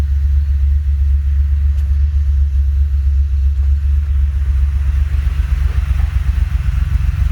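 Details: Honda J35 with BC cams, 12:1 compression, 6GA, swapped back to normal rockers: deep lumpy exhaust rumble with uneven loping idle beat; rough idle still being worked out, cause unconfirmed.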